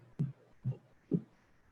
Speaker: you go so in here you can see on the screen you can hear the rattling around this is essentially a particulate that's within the cavity that's being captured through the audible through the o scope